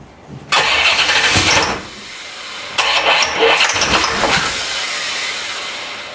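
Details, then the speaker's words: 1990 C4 Corvette rebuilt after a blown head gasket, having sat in pieces for 5 years: two bursts of steady cranking that never catch. Cranks but won't start; owner suspects no fuel, as it was parked with little gas. "i don't think it's getting any fuel to be honest with you i think that's our whole problem no fuel"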